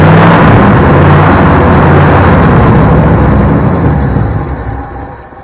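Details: 1972 Ford Bronco 302 V8, first start in at least 20 years after confirming spark and supplying fuel: loud, deep rumble running steadily at a fast idle, then fading; fires and keeps running on its own.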